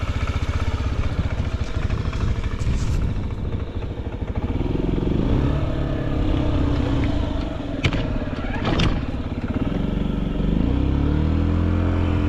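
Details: Honda Zoomer carbureted scooter (AF58): small single settles into a quick, steady low putter with no tapping or rattles, apart from a couple of brief outside clatters; quiet healthy idle, no abnormal engine noise.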